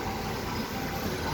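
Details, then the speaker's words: Chevrolet Celta engine at idle, revved, then settling: low, even, regular idle hum with no knocks, misses or ticking; normal healthy idle. "a marcha lenta aí bem regular mesmo"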